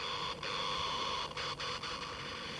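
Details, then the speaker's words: 1966 Philips EE08 kit two-transistor AM radio, newly built, tested in daytime: even hiss with faint steady tones and brief dropouts, tuning works and both transistors amplify but no station; owner suspects little AM available. "So, I certainly can't hear any radio. Uh, but it's definitely tuning."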